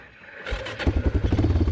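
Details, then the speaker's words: 1996 Yamaha Kodiak 400 4x4 ATV, 400cc, carb recently gone through, exhaust missing a baffle so loud: brief crank, then catches into loud, even single-cylinder thumps around ten a second; normal start, though it doesn't go fully into neutral. "it starts up fine it doesn't go into neutral all the way"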